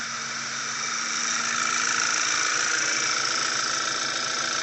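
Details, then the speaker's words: B8 Audi A4 after engine rebuild (new rings, honed cylinders; car sat three years), first run after a starter cable electrical fault was fixed, parts still disconnected: smooth even idle under a steady high whir, no knocks or misses; normal idle. "it's running very smooth there it is"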